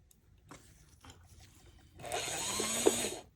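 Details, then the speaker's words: Varney 2-8-0 Canadian Pacific Consolidation model locomotive after freeing a stiff drive gear engagement and running in fresh grease: a steady, high, free whir at full power, picking up from all wheels. "that's better maybe just needed to run all that grease through that I've just put in now that is full power it's picking up from all wheels"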